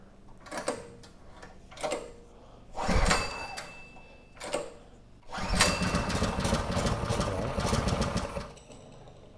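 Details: Predator 212 engine on a Manco Streaker 580 mini bike, unrun for years, choke on, chain disconnected: the small single fires in short uneven bursts, catches, sags and dies. It won't hold idle; the idle setting is likely too low.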